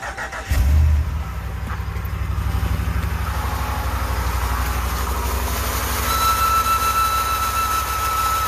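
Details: 2019 Ram 1500 cold start: engine cranks, catches, idles roughly, then a steady high-pitched belt squeal. Alternator, battery and battery sensor replacement didn't help; replacing idler pulley and tensioner together cured it. Techs blamed alternator going full field from low battery.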